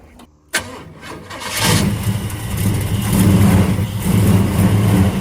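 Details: Big-block Chevrolet El Camino, long-sitting, hot-wired with push-button starter, after a splash of fuel into the carburetor: brief crank then catches into a strong even deep rumble, no knocks or misses; normal start.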